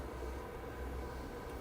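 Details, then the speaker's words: HeatStar 185,000 BTU forced-air kerosene heater, thermostat turned fully up and switched on: igniter, then an even low-toned roar of fan and burner with no squeal or rattle; louder than the propane unit but running normally. "So we're going to turn stat all the way up, turn it on. We'll hear the igniter, we'll hear the fan, ignition."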